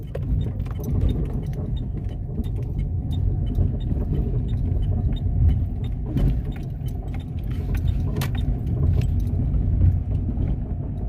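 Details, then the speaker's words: Car driven slowly over uneven ground with windows closed: irregular sharp suspension knocks and faint creaks over road rumble. The creak worsens when the steering wheel is turned, and the noise disappears when the car is lifted. "quando você mexe o volante faz mais ainda tipo um rangido vou tentar fazer um teste com ela andando para ver se ouvimos o barulho"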